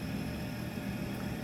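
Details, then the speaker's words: NTI TI100 boiler installed in 2009, calling for heat: a steady full-speed combustion fan roar with no burner lighting and the main circulator pump off. Sentry 2100 controller suspected failed (no lights, 120V supply present), then replaced. "it was all calling for heat but there was no fire um the fan was full blast can hear the fan going full"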